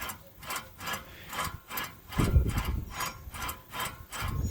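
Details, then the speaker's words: 2006 Nissan Altima 2.5L, rear driver's-side wheel bearing and hub turned by hand during removal: rough, gritty grinding in repeated strokes about twice a second; worn bearing was the main noise culprit. "you can hear that uh grinding sound uh the noise was very terrible in this car and pretty sure this one was the main culprit but the other one was also starting to get pretty bad so it's a good thing we're changing these"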